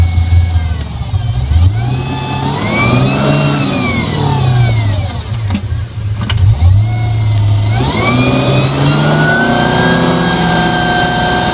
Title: Clunk noise in ZF Ski-VEE transmission malibu 247